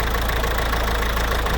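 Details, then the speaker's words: Citroën C4 1.6 HDi diesel idling roughly with an uneven knock and stumble. Intermittent injector fault from connector pins loosened over time. "C'est juste en fait les contacts qui se desserrent avec le temps, les petits pins. Donc on va bien les resserrer, bien traiter à l'intérieur avec un nettoyant en contact."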